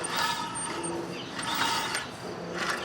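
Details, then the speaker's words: Circa-2010 Craftsman mower, Briggs & Stratton 19.5 hp single-cylinder, engine turned slowly by hand: uneven scraping crunches and creaks each pass, loud vibrating tapping when running, sometimes won't restart hot; loose flywheel magnets rubbing, fixed by re-gluing. "Almost like something's rubbing inside. You hear it? Wow, it's really loud."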